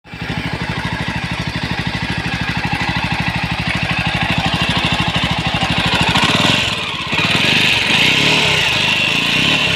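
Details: Jawa 42 BS6 single-cylinder motorcycle running: fast steady thumping with a harsh, rattly edge; sounds abnormal, cause not identified.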